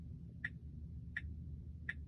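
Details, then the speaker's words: Tesla cabin with a loud, sharp tick about every 0.7 seconds over a low steady hum, with no turn signal on; owner attempts a reboot to stop it. "it's a ticking noise in my car right now so we're gonna have to reboot this thing and hopefully that will get this thing back right and stop ticking"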